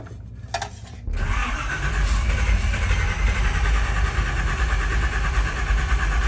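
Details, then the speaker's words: Long-parked Chevy C20 being revived after distributor work with number one set at top dead center. It cranks, catches and runs rough for seconds but won't keep running; timing is possibly off, and the battery charger is struggling. "I was trying to keep it running trying to start it okay okay foreign [Music] she's just like wanting to be on fire"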